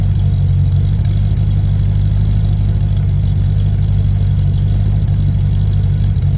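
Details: Land Rover Discovery 1 3.9 V8, first start after about 18 months sitting, oil pump primed: deep, loud, steady idle with heavy booming drone; loud because the centre silencer pipe is missing from the exhaust.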